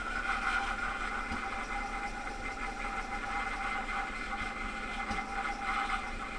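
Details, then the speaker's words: BMW E60 (Copart car) on replacement eBay ECU, power steering pump quieting after fluid top-up: uneven idle with occasional soft intake pops, backfiring and rough, revs up and drops; owner suspects bad fuel or vacuum leak, not confirmed. "It's just all backfiring. It sounds like hell. I don't know, you know, we don't know anything about the fuel."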